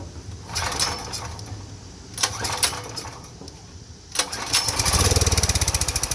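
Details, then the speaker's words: Power Mate VX Power Series 5000 generator, sat unused for years, won't start or dies quickly: with carb cleaner sprayed in and choke closed it fires briefly then stumbles; fuel delivery fault, clogged carburetor, not spark or ignition. "Carburetor problem. Fuel delivery. So you notice not the spark plugs, not the ignition. It starts, it's clearly fuel related."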